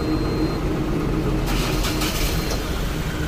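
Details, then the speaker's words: Ashok Leyland Bada Dost BS6 diesel truck with a starting problem; the supply pump wasn't switching on, fixed by cleaning carbon buildup: catches and settles into a steady, even low rumble, no misfire or knock; normal start and idle. "బండి అయితే start అయిపోయింది."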